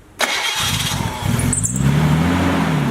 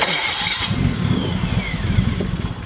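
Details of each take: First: Nissan Skyline just fitted with a replacement starter (one ordered for a forklift): it catches almost instantly, then the idle rises and falls about every 1.5 seconds; the owner says it still has a vacuum leak. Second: Nissan Skyline after replacing its 30-year-old starter: brief crank, then the engine catches almost immediately and settles into a steady idle; quick, healthy start, though a vacuum leak remains.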